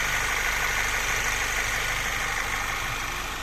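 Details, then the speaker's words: 2008 VW Passat B6 1.8 TSI after injector cleaning and seal kit replacement: steady, even idle with smooth hum and hiss, no misses or shaking, no fault codes; normal idle. "двигун запускається з оберта ніяких помилок У нас немає двигун працює стійко не трусить його робить рівно"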